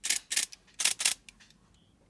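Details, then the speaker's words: Nikon Z6 after repair of its water-corroded power switch flex cable (cleaned, switch contact replaced), which had caused noise after shutdown: crisp clicks and a faint whir on power on and off, with no abnormal noise. "然后关机，没有再出现之前的情况。"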